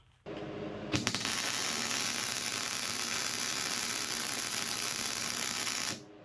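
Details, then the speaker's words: MIG welding at chart-recommended settings with the nozzle held too close to the work: steady crackling sizzle for about five seconds. Nozzle hid the weld, giving poor fusion and undercut. "I I couldn't even see what I was doing because my nozzle was covering my work."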